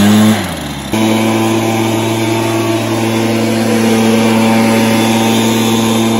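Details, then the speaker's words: Stihl BR430 backpack blower, repaired after bogging, with its carb high-speed adjustment screw turned out: drops from idle, then snaps to a clean, steady high-pitched full-throttle scream that holds flat without bogging; now starts, runs and revs out well. "so that's a good result it starts and runs well and revs out well"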